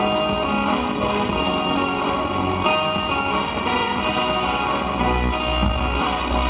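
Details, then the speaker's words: OCL 150 W amplifier driver board, technician-built, playing over Bluetooth: music comes out rough and hoarse with gritty fuzz on both L and R channels. Sound not clean; cause suspected, not confirmed. "jadi suaranya tidak bersih dulur ya suaranya itu tidak bersih baik untuk channel L atau channel R dulur ya"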